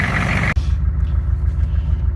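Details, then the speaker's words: 6.5 turbo diesel after the fuel was turned up: low, rapid, even clatter at idle with a firm knocking beat, a bit more rattle showing the extra fuel. Normal diesel idle clatter. "a little more rattling you can definitely tell that it's got more fuel"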